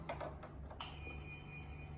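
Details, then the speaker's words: Home LAN cable tester: after a few clicks the probe gives a thin, steady high tone, showing the installed LAN cable run is unbroken and passes. "จะได้ยินเสียงตัวนี้เราปรับตัวรุ่มเพิ่มได้นะครับถ้าเสียงดังแบบนี้นะครับแสดงว่าสายแลนที่ฮงการเดินไว้นะครับไม่ขาดนะครับถือว่าผ่านนะครับ"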